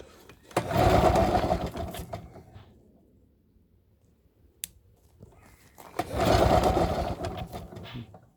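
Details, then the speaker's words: Project machine, throttle lever freed past start position; two short bursts of pull-start cranking with no firing, after briefly starting and dying; owner checks whether it has fuel. "Nope, doesn't want to know now. See, this one's not going to play ball now that we've..."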